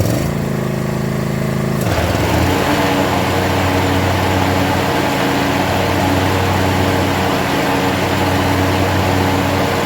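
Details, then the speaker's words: John Deere zero-turn mower after the blade fix: once the blades engage, the deck settles into a steady, even whir with no intermittent knocking. The blades were the entire issue; the old noise came at a regular pulse. "foreign that was our entire freaking issue and you may have this issue someday too"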